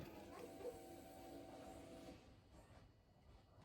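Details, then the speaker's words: Subaru Impreza WRX-to-STi rebuild, key on before first start: steady smooth electric fuel pump hum for about two seconds then clean cutoff; normal priming, earlier weird pump noise now gone. "I can hear all the fuel priming around the fuel pump sounds healthy again before I had a weird weird noise to it"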